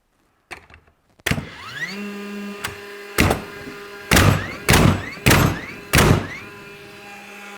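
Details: DeWalt cordless flywheel framing nailer in multiple-nail bump-fire mode: flywheel whirs up to a steady hum, then five sharp shots about a second apart, motor spooling back up after each; normal operation.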